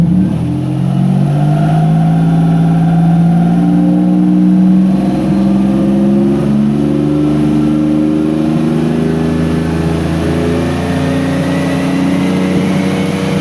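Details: 1999 Nissan Frontier turbo with crank/cam signal errors fixed by setting trigger and home filters to 0: a smooth free rev up to 4500 rpm, with no misses or knocks and the turbo spooling gently at higher rpm; healthy, no longer breaking up near 1400 rpm.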